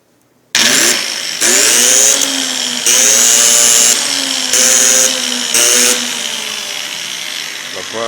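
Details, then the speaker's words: Truper polisher/angle grinder brought in as "won't start, probably the brushes", tested powered through alligator-clip leads, spinning in short bursts with a high rough crackly whine, heavy sparking, lost power and a burning smell; armature suspected shorted or burnt. "tha fuaim ann agus fàileadh gu math grànda mar losgadh, comharra gur dòcha gu bheil an armachd air a dhol tarsainn no air a losgadh gu tur"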